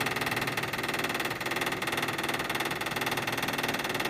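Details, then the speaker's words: Toyota/Lexus hybrid brake bleed after pad replacement, right rear wheel, pedal held down in test mode: bleeder loosened, actuator pump runs with a steady electric buzz pulsing about three a second, filling the bottle, no air bubbles; normal operation. "I'm going to loosen the bleeder screw and you hear the pump starting to run and you can see it is filling the bottle"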